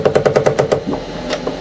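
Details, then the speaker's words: Anycubic ACE Pro (Kobra 3 combo), first slot, on retract: rapid ratchety clicking about nine times a second, then broken stuttering as the gear grinds and cannot rotate; owner suspects over-tightening or misalignment. "Okay, it's gonna not retract. Okay, let's see what happened. Yeah, look at that, it's grinding there."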